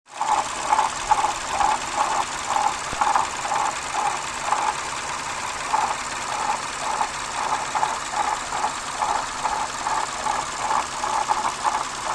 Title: lexus GS350 06-11 bad water pump?